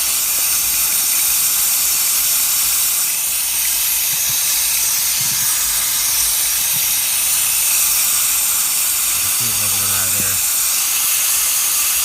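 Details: Hot no-start, cylinder air test with engine stopped: continuous sharp, steady hiss; air escaping somewhere while the cylinder is pressurised.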